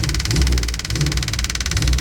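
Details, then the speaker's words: 1977 Chevy Monte Carlo with engine swapped from a '69 Chevelle, unrun for years, driving: lumpy uneven low idle with fast ticking clatter, loud fuel pump, no pull; owner suspects too little ignition timing, then advances it. "I don't think we have enough timing okay I got the hood up here I'm going to give it a little bit more timing"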